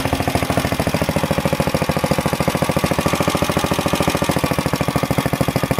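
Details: Planet Jr. Model B walk-behind tractor with air cleaner and elbow refitted, started to drive it up the hill: even, steady single-cylinder chug at fast idle, no misses or stumbles. Governor works; normal running.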